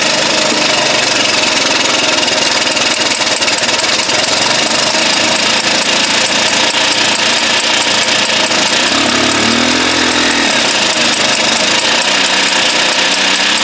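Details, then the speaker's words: 1983 Honda Elite scooter, sitting 15–20 years, now runs with a thin, buzzy, high-pitched two-stroke note at steady idle with a brief blip; carb bowl still leaking, exhaust back pressure suspected earlier; normal running. "well I got it to run it's been sitting probably 15 maybe 20 years"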